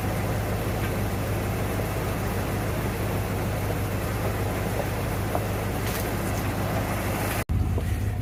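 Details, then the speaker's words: 1992 Ford Bronco V8, first start after being bought not running, coolant almost empty, oil a quart overfull: low, deep idle with slightly uneven, loping beat; rough idle after sitting, smoothing up. "So she is running. It's actually smoothing up a little bit."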